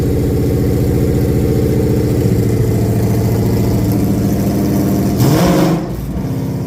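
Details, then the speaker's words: 5.0 Coyote V8 crate engine with 71,000 hard miles, intended for 1966 Ford F100: deep even burble at idle with light uniform valvetrain patter, no ticking or knocking; normal idle. "It sounds really good. I got to admit that the valves sound amazing."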